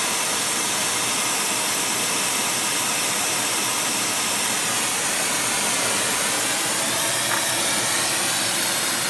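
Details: Airproducts Integra oxy-acetylene cylinders with built-in regulators and small mixer welding torch, pressures set by ear: steady even roaring hiss, no popping or sputtering; torch flame burning normally.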